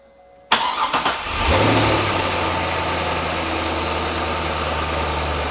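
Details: Car started with a multimeter on the battery: quick crank catches at once, then settles into a smooth, even idle with a steady low hum as the alternator charges and battery voltage rises; normal start and idle.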